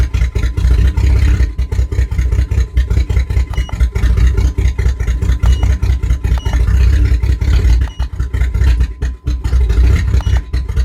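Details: 1997 GMC Jimmy engine running uneven and lumpy with repeated drops and stumbles in the exhaust beat, missing on a cylinder; misfire shown alongside live scan data.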